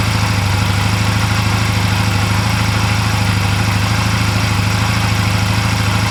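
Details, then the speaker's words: 2004 Honda Rebel CMX250C twin idling on new NGK CR6HIX iridium spark plugs, after CR6HSA plugs made it idle poorly. Steady, even low thump with regular firing, no misses or stumbles; clean, healthy idle. "the bike didn't idle well with them in so the hix plugs seemed to be working just fine"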